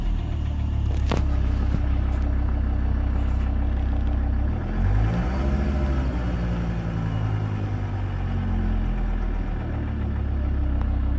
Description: Strange sound on 1k rpm. Volvo v70 2000 2.5tdi 103kw.